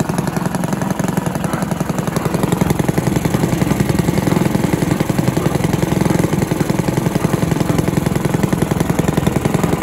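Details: Villiers 10 petrol engine on an old Barford cement mixer, no choke, even steady single-cylinder popping at constant speed, no misses or knocks; compression not excellent; normal running.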